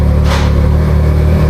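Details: Can-Am Maverick R with DCT transmission, about 2,000 miles, idling after transmission magnet change, before any DCT relearn, as it is shifted into reverse; no error messages. Steady, even low drone, no knocks or rattles; healthy.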